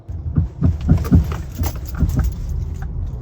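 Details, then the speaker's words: 2014 Toyota Camry with worn-out motor mounts: dull low thumps in quick bursts as the car rolls over bumps. The sway bar end links are also bad. "My Camry's motor mounts are just gone. They make horrible sounds over bumps, as you can hear here."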